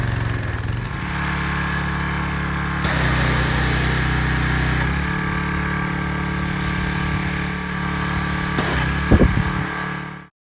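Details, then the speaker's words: Troy-Bilt 2700 psi pressure washer after carburetor cleaning and fixing misplaced carburetor linkage that caused bogging: small single-cylinder engine holds strong steady drone, slight load changes, no surging or bogging; running properly. "then probably from here on out on the video it was running strong and i i didn't do it all on video but it was i cleaned up my side by side with it and it was working good"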